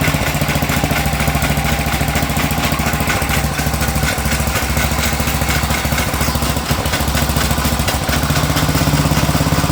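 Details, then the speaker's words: Sears Suburban 12 lawn tractor with a Tecumseh 12hp engine, barn-stored five or six years, first run: steady single-cylinder run with an uneven slapping beat from the pulley, caused by chunks missing from the drive belt; a new belt is needed. "there was a heck of a noise out of the pulley over here we got a couple chunks out of our belt we'll have to get a new belt for this"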